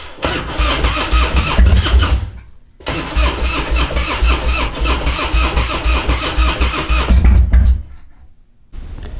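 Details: Twin Cam Harley-Davidson Dyna Glide (FXD) that won't idle, with fuel leaking from the CV carburetor and puking out the venturi, cranked with no choke: long starter bursts, catching and coughing but never settling; hard start.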